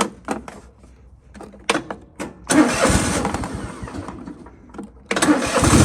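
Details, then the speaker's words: John Deere L130 lawn tractor that wouldn't move, after bleeding and topping off the hydrostatic transmission fluid and replacing the oil plug: the engine cranks, catches and runs steady. The drive is now quiet and much more responsive, with only slight noise left. "oh wow no noise yet a little bit of noise there but it's way more responsive nothing like it was"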